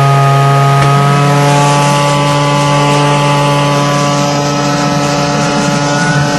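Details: DIY turbocharger-based gas jet turbine go-kart with diesel afterburner, started on gas with blower and igniter: continuous rushing roar with steady high whine, no throb or pulsing; running smoothly.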